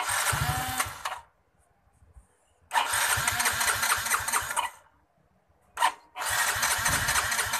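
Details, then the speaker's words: Yamaha Mio J fuel-injected scooter: starter spins engine in short bursts with uneven firing pulses that nearly catch then die; crank no-start. "hampir mau hidup tapi tidak jadi mundur hidup mesinnya seperti itu ya Sob"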